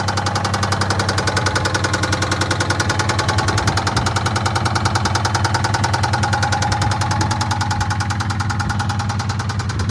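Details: 2009 Dodge Charger 3.5 engine at idle: steady, heavy knock at about 3.5 per second, locked to idle and punching through the engine note; engine knock, motor to be pulled and replaced.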